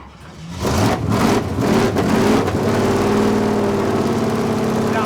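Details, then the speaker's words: Retired Toyota Camry stock car after a V8 engine swap with Sniper 2 EFI and Hyperspark ignition, first start: catches and settles into a lumpy but even idle, no knocks or ticks, tons of oil pressure; sounds great. "good. Tons of oil pressure. Oh, hell yeah. This thing's awesome. Sounds great."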